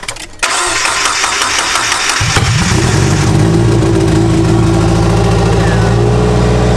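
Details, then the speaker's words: JDM turbo Miata started in neutral with clutch in, after a fix with a Corvette part; cranks about two seconds, catches cleanly into a loud raspy but steady idle: normal idle, exhaust unfinished and open. "It sounds It sounds awful. We gotta finish the exhaust. It sounds better than before."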